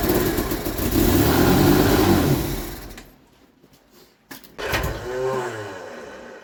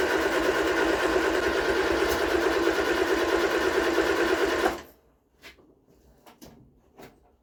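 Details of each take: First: Vauxhall Viva HC after carburetor rebuilds, water-contaminated fuel flushed, filter changed and fresh fuel supplied: the engine revs hard, drops briefly, then fires again and settles into a steady idle. Normal start and idle. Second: Vauxhall Viva HC with freshly rebuilt carburetor: steady cranking at about three turns a second for nearly five seconds, never catching. It fires on carb cleaner but won't start on fuel in the carb, traced to water-contaminated fuel.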